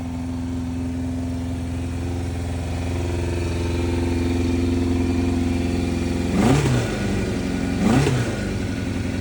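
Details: 1988 Yamaha FZR 1000, carbs rebuilt with larger Dyna Jet needles, Mikuni pilots adjusted, 3D-printed velocity stacks, new higher-flow fuel pump, methanol-free gas; cold start: even four-cylinder idle, two clean throttle blips, no misfire; running great.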